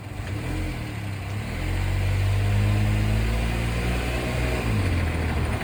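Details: Daihatsu Move Canbus engine: light quick ticking rattle, about four per second, over the engine as it revs, knocking caused by carbon deposits; fixed by internal engine cleaning.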